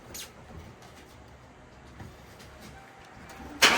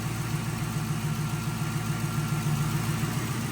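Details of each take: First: 2011 Ford Crown Victoria 4.6L V8 first start after new spark plugs and coils: short crank, then catches with a wavering, uneven note that settles slowly; rough startup. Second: 2011 Ford Crown Victoria 4.6L V8 just after throttle body cleaning and new spark plugs and ignition coils: smooth, even idle with no misses or knocks, much better than before, no check engine light.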